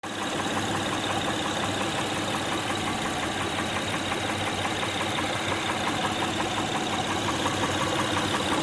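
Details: 2006 Honda Pilot 3.5L V6 idling with a steady light ticking knock, about three per second, from the valvetrain. Loose spark plugs, timing belt tensioner and injector knock were ruled out; valve cover removal found a defective camshaft lobe, so camshaft, PCV and gaskets were ordered.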